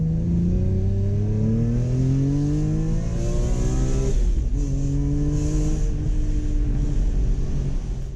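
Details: BMW E46 M3 after a VANOS rebuild and valve adjustment. It climbs cleanly through the revs, drops off on a lift, then pulls evenly again with no knocks or rattles, so running and revving are healthy.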